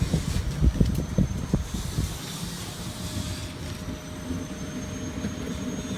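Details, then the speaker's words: Newly installed Mitsubishi three-zone mini split, outdoor unit: a few early knocks, then steady low fan rumble with faint even tone and no rattles; running normally. "and there's the kitchen one running all right guys there she is the Mitsubishi's all done"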